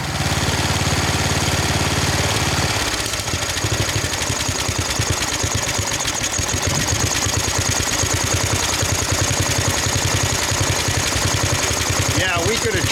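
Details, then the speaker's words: 1999 Snapper 28-inch riding mower, 10 hp Briggs single cylinder, after cutting: slow, uneven, widely spaced beats close to stalling; idle speed far too low, a different carburetor may be needed. "Really low idle. Hear it. That'll have to be for another day. We may even want a different carb for this thing."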